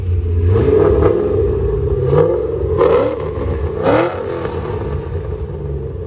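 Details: 3V Mustang GT 4.6 V8, newly installed engine with new clutch, flywheel, headers and the original Steeda underdrive pulleys, after first start: loud crisp throttle blips rising and falling cleanly, no knocking or rattle; normal revving, engine healthy.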